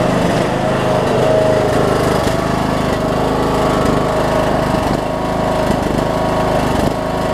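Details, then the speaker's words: Troy-Bilt Bronco, Briggs & Stratton 18hp Intek, Chinese Nikki-copy carb with drilled low-side jet, air filter refitted, low fuel; under blade load speed rises and falls slightly about every second, mild surge, far less than before. "but as you can hear it's no it's not surging you are near as bad as it was"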